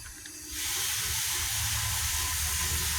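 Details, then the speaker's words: 2014 Chevy pickup 5.3L with a misfire on cylinder 8 that stayed after swapping plugs and coils: leak-down test gives a loud steady air hiss past a leaking intake valve, causing low compression and the misfire. "So that's the cause of the low compression and that's the cause of the misfire. Pretty much that's because the intake valve it's leaking."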